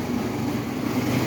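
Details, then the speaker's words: 50cc moped after battery replacement, restarted after stalling cold: short burst of the small engine humming evenly with no stumble or knock; normal running. "Oh yeah. We running. Lights on."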